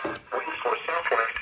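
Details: Vintage Cobra CB radio, with microphone plugged in and only a wire as antenna, on the weather band: choppy, crackly audio with scratchy static breaking through the voice; the pots are dirty and need cleaning.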